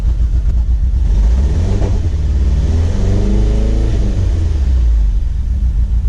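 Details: Turbocharged HHR build after retiming and installing the tune: the engine idles steady, then revs up smoothly and settles back with no misfire or stumble, and no codes return; normal running.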